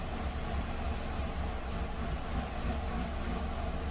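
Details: 2015 Nissan Rogue 2.5 inline-four idling after several minutes of running, intake cam timing reading 38 degrees: uneven idle with irregular thumps and stumbles, codes P0011 and P0300. Rough idle apparently caused by a stuck intake cam timing solenoid.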